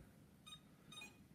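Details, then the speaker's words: iLife V5 robot vacuum, a couple of days old: short high beep bursts as brushes try to spin; it charges (full overnight charges, two-hour cleans) but beeps while charging, something wrong, cause unknown. "but when it comes charging beeps it does charge but there's something wrong with it"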